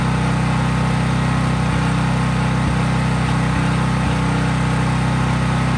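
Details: Craftsman 5000-watt generator outdoors after a cold start, at full governed speed with no load (only an LED bulb plugged in): a constant, even drone with a steady low-pitched beat, no hunting or surging; normal healthy no-load run.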